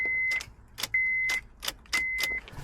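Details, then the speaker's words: 2008 Honda CR-V with an intermittent no-start: key turned, door chime beeps, then only a single sharp click with no cranking. Owner suspects the ignition relay or ignition module rather than the starter. "Nothing but a click. Wants to start but not starting."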